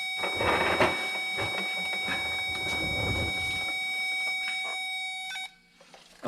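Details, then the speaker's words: 2007 Ford F250 no-crank, Power Probe on starter S terminal: the tester's steady tone changes when the key is cranked, showing 12 V reaching the starter trigger wire; current capacity not yet verified. "okay that that's change in sound lets me know that we are getting 12 volts there or at least 12 volts there"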